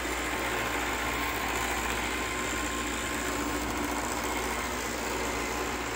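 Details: Roomba 694 robot vacuum on carpet, the only surface where it happens: steady, rough grinding whir from the brush area.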